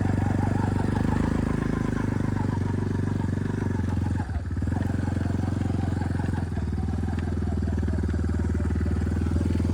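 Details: Lifted Big Red after 3 years of weekly hard mudding, test ride, steers like a tank: steady engine drone with occasional clunks and clacks from worn bearings and a failing U-joint, which then snapped; all bearings and U-joint to be replaced, fork rebuilt.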